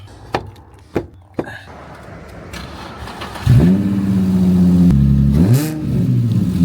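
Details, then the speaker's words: Nissan 350Z that would not run, throttle dead: after swapping in a $30 junkyard accelerator pedal position sensor, a few clicks, then it catches, idles steadily and revs cleanly; normal start and rev, fixed. "my God, it works. It works. What? We did it!"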